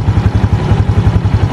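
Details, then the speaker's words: Used motorcycle checked for ticking engine noise during a purchase inspection: an even, low thudding idle at about nine beats a second with no ticking or clatter on top, the engine still smooth and healthy. "nah ini mesin masih halus untuk bunyi seperti ini teman-teman resapi dulu bunyinya"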